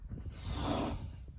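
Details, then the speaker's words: Chevy Silverado front hub, wheel removed and spun by hand, after play was felt rocking the wheel: gritty, rough whirring grind that swells and fades with the spin. Worn wheel hub bearing assembly. "Y'all hear that right there? That's that assembly."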